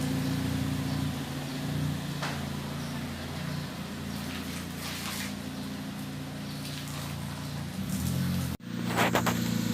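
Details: Ford Fiesta Mk7 with Borla exhaust after exhaust leak fixed using a silicone gasket: steady deep drone with even low hum, no ticking or puffing at the joints; exhaust sounds sealed and healthy.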